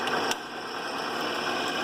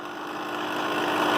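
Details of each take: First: Vintage 8mm projector model 253 AX in rewind, back spindle turning: steady, even mechanical whir with no knocks or scraping; runs smoothly, though owner says it sounded rough, possibly needing lubrication. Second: Vintage 8mm film projector: motor sounds fine alone, but drive makes coarse gritty grinding that grows louder, tight mechanism; cause not yet found, clutch mechanism unclear.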